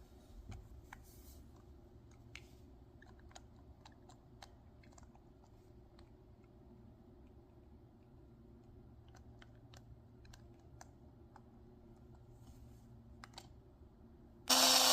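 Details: Philips Sonicare sonic toothbrush with a loose head: after handling clicks it starts with a harsh, loud rattling buzz instead of a smooth hum, suspected from a loose internal part; screw later secured with a little super glue.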